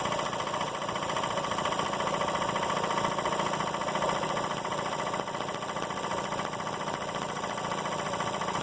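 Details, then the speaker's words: Emglo K15A-8P air compressor, older constant-run unit converted to start/stop, set to constant run at 70 psi: switched on, smooth even motor hum with a quick steady pumping pulse, three or four a second; normal running. "I'm going to turn the switch on it will immediately start and you will hear the hear and see the the compressor the kick out and the motor continuously run"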